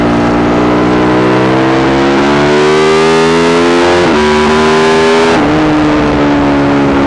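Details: Yamaha YZ450 single in a supermono race bike revving up and down under load, note stumbling and breaking up unevenly. Constant misfire worsening after a couple of laps; carb, fuel system, breathers, ignition, coil, generator changed, cause unconfirmed.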